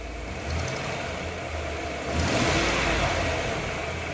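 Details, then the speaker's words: 1996 Ford 5.0 V8 in the Bronco, shop test run with no oil leaks: steady idle, then a smooth blip that rises and settles back without stumble or knock; normal free rev. "Give it a little rev, kid. Ain't gonna hurt it."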